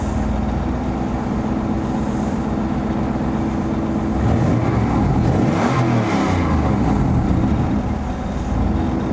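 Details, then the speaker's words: 2004 Ford Mustang Mach 1 turbo V8, cold start with exhaust cutout closed, exhaust through turbo to two Flowmaster 40 series mufflers and tailpipes, mic in cabin: deep, even burble, steady firing, brief swell, no knocks or ticks; normal cold start idle. "sound too bad again that's just normal exhaust out the tailpipes through the mufflers"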